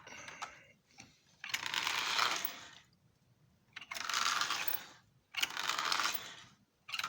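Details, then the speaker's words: Repaired Marx Union Pacific E7 toy locomotive running on track at low speed: light, even gear whir as it passes, with no grinding or catching, typical gear mesh for these engines. "you can hear a little bit of uh gear noise which is prototypical for these engines uh as the gears meshed together but it's not a real live ground"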